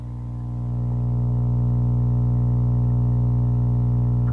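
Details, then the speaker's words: ROWE R-4359A stereo tube amplifier on a 250 W bulb limiter with its protection circuit partly on; a loud, constant low hum of steady pitch from both speakers with the music turned down, and a partial short is suspected. "You hear that hum? And it's coming out of both speakers."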